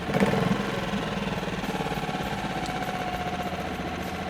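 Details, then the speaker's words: New Hidea 2.5–6 HP two-stroke outboard, first start, pull-started, choke just pushed in, throttle fully down at the red triangle: quick, even idle pulse with steady pitch and a little first-run smoke, no misses or rattles; normal idle. "this point it's idling nicely the throttles all the way down still at the red triangle"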